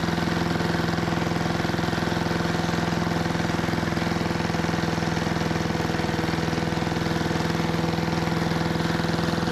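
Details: 1973 Giant Vac walk-behind leaf blower with Briggs and Stratton single-cylinder engine, revived from scrapyard: steady, fairly low-pitched drone that never climbs; owner doesn't think it reaches full throttle while blowing a small pile. Cause unconfirmed.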